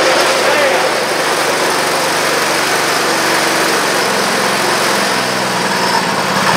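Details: Antique Parmi Lazy Boy single-stage snow blower, about 40 years old and probably barely used, 3 hp Briggs & Stratton, started after a few pulls: quick, even single-cylinder pace with no misses or knocks; healthy and steady.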